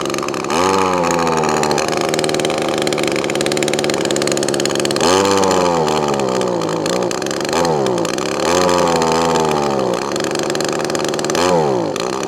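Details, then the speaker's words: Echo ES2400 leaf blower two-stroke on a replacement HIPA copy carburetor (high-speed mixture screw only), after priming: short rev bursts climbing then sagging, hunting at idle; carburetor mixture out of adjustment, needs tuning. "now what we're doing a lot is missing missing and bogging"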